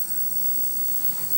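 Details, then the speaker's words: Sanwa 27Z21C 27" arcade monitor chassis on test pattern generator: thin, steady piercing high-pitched whine over faint hiss; screaming with an image present, owner suspects an H-hold problem. "Something is screaming and it's not very happy."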